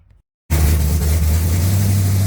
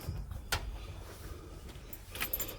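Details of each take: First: 1980 Pontiac Trans Am V8, cold, not started in a long time, after distributor install, head work and new TH400 build: catches after a gap and settles into deep steady even idle, no valvetrain noise; runs well. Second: 1980 Pontiac Trans Am V8, first start after distributor install and new TH400 build: even cranking, about three beats per second for three seconds, never catches; no fuel pressure yet, cranking to get fuel up to the dry carburetor.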